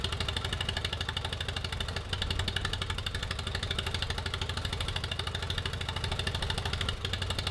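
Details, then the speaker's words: 1949 Allis Chalmers WD tractor revived with rusty cylinders, valves lapped: rough uneven idle with dropped beats and sharp pops, steady miss with backfiring; owner unsure, suspects flame front in exhaust or a valve hanging open. "I can hear it obviously it's missing but I can almost hear like a it almost sounds like a flame flame front is getting into the exhaust something weird I'm not quite sure what's going on"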